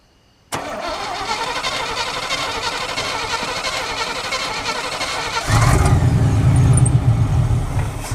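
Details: Chevy K1500 V8 truck started by a push button after starter wiring work. Quick, even cranking for about five seconds, then it catches and settles into a strong, steady rumble; a healthy start.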